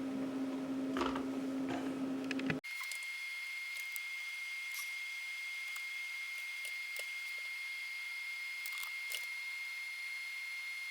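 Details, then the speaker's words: Roughly 20-year-old CD-RW drive on a vintage system burning a nine-track CD: steady mid-pitched spinning tone cuts off abruptly leaving faint ticks as it spins down between tracks; normal burning. "so one thing I want to mention is it lays down each track one after the other so you'll actually hear the drive kind of spin down in between tracks so that's what it's actually doing"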